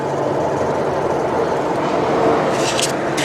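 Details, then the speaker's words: Ford Focus rear wheel spun by hand with the mic next to it: a steady, gritty grinding rumble and play up and down from a worn wheel bearing, which gets louder with speed when driving. "it's bad so this is the bad wheel bearing now you might feel a bit of play now over the cameras that have picked this up"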